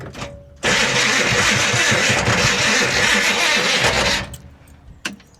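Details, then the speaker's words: Slow, uneven cranking, about 3.5 turns a second, with a dragging, labouring starter note while on a booster pack; engine never catches. Battery not blamed; starter suspected of hanging up or not being shimmed properly; smoke later appears from the back. "Yeah, just it sounds I think it's the starter hanging up. Like it almost sounds like the starter may not be shimmed properly."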